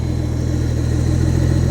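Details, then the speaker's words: Yamaha-swapped turbo Toyota pickup, parked two years, first start after plugging 3/8 intake vacuum leak: low slightly lumpy idle with slight surge, idle hunting; owner suspects idle air controller or tuning done with the vacuum leak present. "Got a little bit of idle hunting there. It's idling a little lower than a guy would like."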